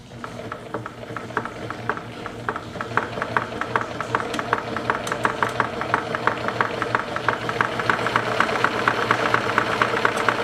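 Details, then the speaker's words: Singer Stylist 814 sewing machine from a junk heap, not yet oiled: steady fast ticking, about two clicks a second, over the motor hum; odd noise of unclear cause, possibly the plastic stack cam. "run I don't know what that noise is I uh there's a plastic stack cam under the stack maybe that's"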